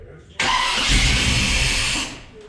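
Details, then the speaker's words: Small-block Chevy 400 V8 on a newly installed JEGS Bandit EFI, first start before engine setup: cranks, catches under two seconds and dies; owner suspects the ECU needs a tach signal and the cylinder count set to eight. "that's actually kind of unexpected [Music] I think it probably needs a tax signal though I wonder if it needs to know it's a V8"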